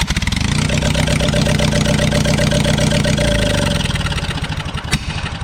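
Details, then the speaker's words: Abandoned Spider forklift being revived, fuel system cleaned; engine runs steadily with clatter, then sags and stumbles as spark is lost; stays running only with key held on, losing power when key is touched; ignition switch or wiring suspected, engine cutting out. "the best I can tell is the ignition is kind of screwy because we have power if I get my cord there I could turn the key on I have power and sometimes when I'm cranking"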